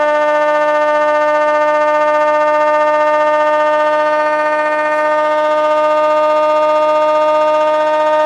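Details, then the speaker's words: Old Bedini-style ten-coil pulse motor, resistance turned up to about 1.5k, then adjusted so it speeds up while charging the battery at maybe three amps: clean, steady whine with bright overtones creeping higher; runs smoothly. "so now I just turned it it's going to speed up so you can see it is charging so maybe three amps here"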